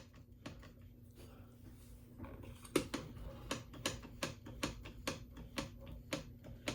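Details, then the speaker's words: Necchi 536FB sewing machine turned by hand before servicing: the mechanism feels tight and gives sharp, evenly spaced ticks about twice a second in a quiet room; the cause of the noise is unknown and it needs cleaning and lubrication. "it's somewhat tight it's not you can hear it making a noise I don't know what that is"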